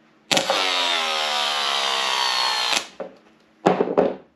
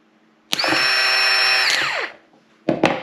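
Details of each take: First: 2005 Yamaha R1 starter motor off the bike, bench-powered by jump pack with no load: whirs to a high whine, then pitch sags over two seconds as it bogs, drawing heavy current; worn starter causing hard starting, replaced. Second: New starter for a 2005 Yamaha R1, tested on the bench with no load from a jump pack, gives a clean steady high whine for about 1.5 seconds, then a smooth spin-down with no grinding, unlike the labored old one that caused hard starting.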